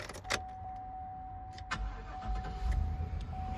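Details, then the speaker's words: 2003 Chevy Suburban with swapped-in engine, transmission and computer, after a 3000-mile drive back to Brooklyn: chime and door sounds, V8 catches promptly, settles into low even rumble, no knocks; sound start-up. "And here's the burb. So, start up for you, still runs."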